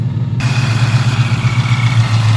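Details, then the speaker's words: 2018 Ford Mustang GT, supercharged, loud exhaust, after sitting a few hours: steady idle with light fast ticking, seemingly from the bottom of the engine on the passenger side only; source uncertain, owner doubts bottom-end failure. "So I'm hearing like that clicking sound. It sounds like it's coming from the bottom of the engine. It's only on the passenger side."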